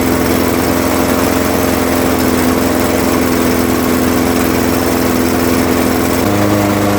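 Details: Craftsman 21-inch mower, 5.5 hp Honda GCV160, running to warm the oil before an oil change, after a smoky first start, until fuel runs out: smooth steady drone, no misses or surging, slight pitch step near end; healthy.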